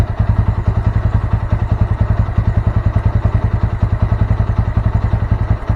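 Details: Honda Mega Pro Primus single after a CDI replacement: low, even exhaust thumping at a steady quick pace with no misses or metallic knock; normal running.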